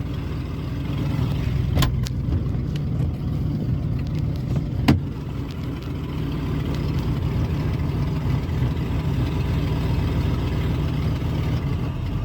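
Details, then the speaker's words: 2000 Ford F-150 V8 in park, after stalling and chugging on acceleration, aftermarket intake and MAF suspected: low uneven chugging at idle, loudness swelling and sagging; rough idle, owner suspects intake-related fault. "still chugging now I'm at Park it's [ __ ] chugging rough"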